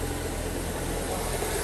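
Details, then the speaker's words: BMW M135i after full engine rebuild following seizure, parked at workshop before test drive: steady even idle hum, smooth low drone, no stumbles, skips or misfiring; idling cleanly. "as i said before the idle is perfect it's just sitting there's no misfiring or anything like that"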